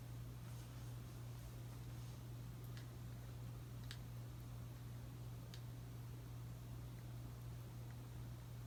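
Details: Casablanca S3 ceiling fan dated April 2002, 188mm x 20mm motor, Versa•Touch 1B remote, running on medium after a new capacitor: quiet steady low hum, few faint ticks, no wobble or rubbing; normal.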